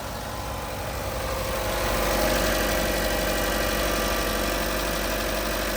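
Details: 2020 Chevy Trax after replacing a bad EVAP purge valve (P0443, P0496), no suction at the valve now: smooth, even idle hum with steady low pulse, no hiss, misfire or stumble; healthy.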